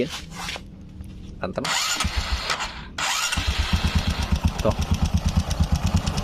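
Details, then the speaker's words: Older carbureted Honda Supra X 125 after a rebore, new valves and new cam chain tensioner: a quick steady ticking of about three per second rides over the idle and stays at both low and high rpm; valve clearance too loose. "Nah ini teman-teman bisa denger ini mau RPM bawah mau RPM tinggi ini suaranya tetap ada"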